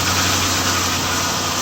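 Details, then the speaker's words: Nissan/Infiniti VK45DE 4.5-litre V8, first start after a full reassembly, fuel low, mileage unknown: a steady, even idle with a smooth hum and no knocking or ticking. It runs mostly quiet and sounds clean and healthy. "We're running, for the most part, quiet. I love the VK45DE, man."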